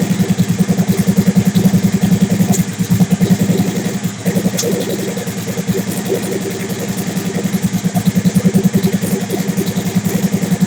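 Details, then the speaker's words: Big-turbo Suzuki TL1000R V-twin with 560cc injectors and Power Commander, during idle tuning: lumpy, hunting idle of roughly three pulses a second, sagging and surging unevenly; owner says it is running leaner, lean idle. "so it's running leaner it is running leaner"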